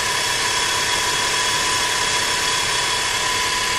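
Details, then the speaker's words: Rover 25 after coolant change and correcting a mis-tensioned cambelt that caused a cam-cover noise: steady even idle with smooth airy hiss, no knocks, ticks or slapping; sounds much healthier. "sounds much healthier don't so you can hear the"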